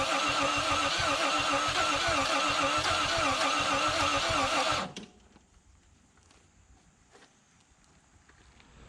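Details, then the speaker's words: 1951 Korean War M38 army jeep, not run in years, cranking after cleaning corroded ignition points: steady cranking near 220 beats a minute with uneven coughs, then stops; now has spark but spits back through the intake, no start, flooding suspected. "all right guys so it's clearly got spark now uh it's kind of backfiring through the intake so we solved that problem for sure"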